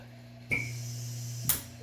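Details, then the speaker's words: DIY emergency automatic ambu-bag ventilator (version 5) water-column PEEP relief valve: quiet hum with wet gurgles as overpressure above the set centimeters of water vents out, normal venting. "overpressure it in the system immediately vents out anything over the centimeters of water that we got in there will immediately vent out"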